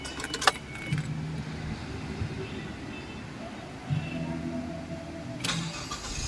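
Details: Ford Escape that would not start, fixed by restoring the original starter wiring to the ignition key: key turn, short crank, engine catches cleanly and settles into a quiet even idle; starts normally.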